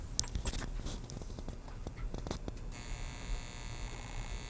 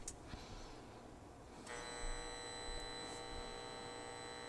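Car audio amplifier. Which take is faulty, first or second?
first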